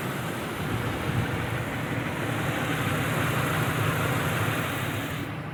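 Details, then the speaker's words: 2001 Ford F-150 XLT, Triton V8, full synthetic oil, warmed up after a drive: steady, quiet, even idle rumble with no knocks or ticks; healthy engine. "but it is warmed up i just drove it and as you can see it's quiet"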